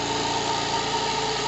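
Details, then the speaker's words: Single-acting twin-cylinder high-speed live-steam engine, unfixed on the table: quick, even chuffing beats at a steady pace with no stumbles or misses, running freely. Normal running. "cette machine magnifique, écoutez sa vitesse, parce que ne regardez pas le mouvement, il est faux, mais écoutez la vitesse."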